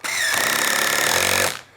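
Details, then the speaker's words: Impact driver driving pocket screws into a face frame; rapid rattling hammer with high whine for about 1.5 seconds, then stops as screw seats; normal impact driver operation. "The reason I like the impact driver is just the ergonomics of it. It just works."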